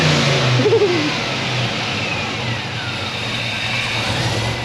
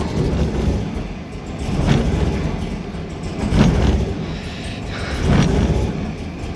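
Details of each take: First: LSA supercharged drift car on E85 with new fuel system, at dyno shop: quick clean rev climbs and falls back to a steady throaty idle, no stumble; runs healthy with fuel pressure now. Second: LSA supercharged V8 drift car on E85 with a new fuel system. Idle lumps unevenly, rising and sagging every couple of seconds: a misfire. Suspected fuel overload or loose or faulty spark plugs.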